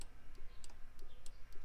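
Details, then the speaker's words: 1965 Nova wagon delivery fan relay, power in on blue wire but nothing out: faint light ticks about every third of a second, nothing switching; relay rated 40 A likely burnt out from running two fans. "but it's not doing anything so I'm guessing that relay is bad"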